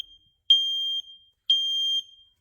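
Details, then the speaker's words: First Alert battery combination smoke and CO alarm, made 2018 and about 4 years old, previously nearly silent despite a new battery, now sounding loud piercing half-second blasts at full volume when the button is pressed and held. "Maybe press and hold. Now it's making a big sound. Yeah, that kind of sound we needed."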